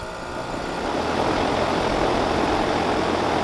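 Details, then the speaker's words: Rheem RA1630 condensing unit with a Copeland scroll compressor, installed 6/2015, fan converted to a PSC motor. Compressor and fan come up smoothly with a rising hum and even whoosh, a normal start; the bang occurs only at shutdown. "So startup sounded pretty normally, I think."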